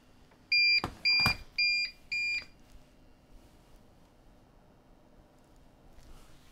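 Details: APC 1500VA UPS running a PC after mains power is switched off: four short, high, evenly spaced beeps about half a second apart, then quiet. This is the on-battery alarm.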